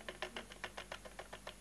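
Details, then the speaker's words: Prius motor on test rig, run on BLDC commutation: slow, evenly spaced ticks about six per second, the motor stepping pole by pole as a four-pole rotor turns; about 12 clicks, normal low-speed commutation. "that should be 12 clicks yeah sounds about right I mean I'm not counting but I can hear yeah so there's your poles"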